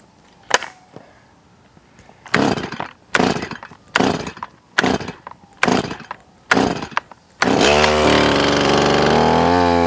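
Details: Stihl MS180C chainsaw, repaired after the chain spun even at idle (not the clutch); cold start, rough pull-start bursts, then steady, even idle with no chain-driving surge; normal cold start and idle.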